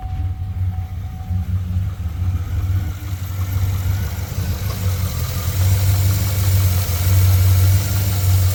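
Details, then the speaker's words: 2009 GMC Sierra after replacing worn idler/tensioner pulley and refitting serpentine belt: smooth low rumble with no squeal or chirp from the belt side; normal idle. "don't hear the sound quite like I was hearing it before"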